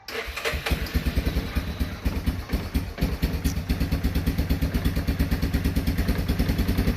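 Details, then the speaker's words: Yamaha Wolverine ATV, cold start without choke in a shed, after carburetor rebuild (jets cleaned, new spring, idle adjusted): steady, even thumping idle with no misses or stumbles, running cleanly; normal cold-start idle. "this is a coach startup it's in a shed here we'll show you how the old motor runs right here is exhaust pipe code startup we're going to try to start it here without the choke and see what it does"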